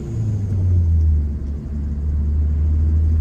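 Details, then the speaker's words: 2012 Ford Focus Mk3 manual driving after a new clutch; smooth, even low drone under way with no clunks, slipping surges or grinding, so the drivetrain sounds healthy. "yep oh yeah I'm so happy with how this car drives now this is so awes awesome"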